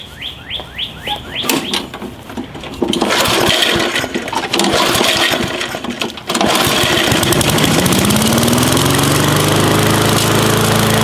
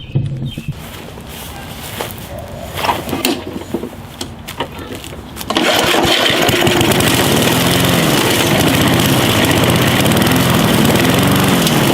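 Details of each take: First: Gas lawn mower that wouldn't start after storing fuel without treatment, which clogged the carburetor orifices: after several pulls, carburetor work and a sputtering catch, it settles into a steady, even drone. Running fine. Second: Walk-behind gas lawn mower that wouldn't start from untreated stored gas: after fumbling it catches and surges up and down while hand-choked, drawing fuel through and clearing clogged carburetor orifices.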